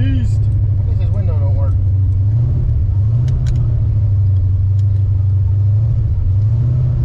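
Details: Tuned 331 stroker V8 in a GT, driven after a brand-new part left it dead; deep, even burble holding steady with no misses or stumbles, running smooth and healthy.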